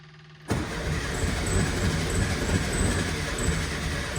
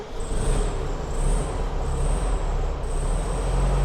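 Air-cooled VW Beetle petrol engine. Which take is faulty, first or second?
first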